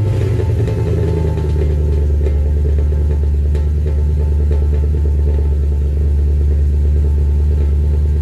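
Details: W204 Mercedes C63 AMG V8 cold start at idle with full aftermarket exhaust (long tube headers, sports cats, new mid and rear silencers) as supplied by the shop: deep, heavy rumble with droning low boom and little crispness; exhaust drone before modification.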